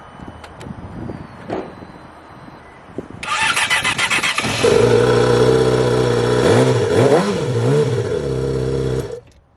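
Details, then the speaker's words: Yamaha R6 motorcycle with suspected blown motor, started with only the problem cylinder's spark plug fitted: catches, revs climb and fall back cleanly to an even idle; running properly now. "Let's go. She's fixed. She's fixed. She's fixed. She's fixed."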